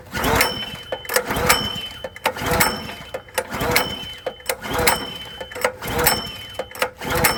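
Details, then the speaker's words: Log splitter engine unused for about 2–4 years, recoil pulled about once a second: turns over but never fires; dry carburetor starved of fuel. "All right. Well, we're cranking and cranking and we're not getting anywhere."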